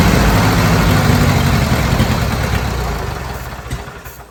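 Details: Old Bobcat 610 skid steer, Wisconsin petrol engine with old carburetor just opened: chugs loud but unevenly, then sags and fades as if stalling; owner thinks it picked up water in the carburetor and plans fresh gas from a makeshift tank.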